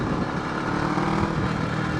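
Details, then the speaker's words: Kawasaki ER6f (Ninja 650R) parallel twin with a cracked aftermarket exhaust and the silencer broken off: a very loud, deep, bassy, unmuffled roar. Broken exhaust silencer. "I think the ER6 has got a very kind of bassy and deep note to it, man. I mean, you can hear it even now. It's loud, man."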